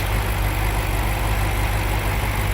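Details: 2002 BMW 7 Series (E65) V8 with misfires on all eight cylinders, after CCV valves were replaced and one bad ignition coil found: low, uneven idle rumble with faint stumbles in its beat.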